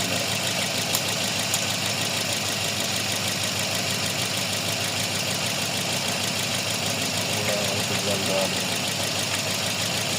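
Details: Toyota Vios with code P0354 at idle: uneven, stumbling beat under a hissy background, one cylinder dropping out; number four dead because the ECU sends no ignition pulse to the #4 ignition coil.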